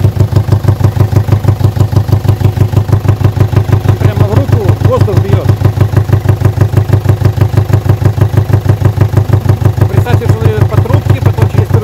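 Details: Peugeot 807 2.0 HDi (RHK) diesel, Siemens injection, idling: hard, very regular knock about three times a second, steady throughout, air-flow sensor readings jumping 380–480; mechanic suspects a hydraulic lifter/valve not filling, pulsing back through the intake; the check had pointed to injectors. Unconfirmed.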